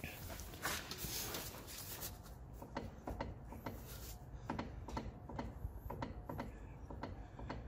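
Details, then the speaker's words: Front end rocked by pushing the wheel, which visibly moves left and right: irregular hollow clunks, one or two a second. Front suspension knock, suspected but not confirmed to be the top mount. "Jack suspects it's top mount because pushing the wheel you can actually see this moving left and right, so he's just stripping this out now"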